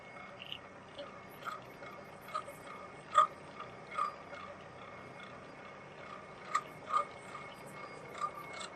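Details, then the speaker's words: Hobbing machine slowly cutting a 127-tooth gear, about a third of the way through: quiet, steady cutting with a light chatter, an occasional vibratory buzz and ringing ticks. This is normal, with no hard hits. "occasionally there's a little bit of a vibratory buzz and you can hear the the chatter of the cutting process and that's just the way it is."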